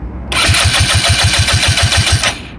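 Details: 2014 Kymco Super 8 150 scooter with a new 28 mm carburetor, fuel filter, lines and fuel pump, and valves set at 0.004/0.005 in: it cranks evenly at about six compressions a second but never starts. No gas reaches the carburetor and it drains the battery; cause unknown.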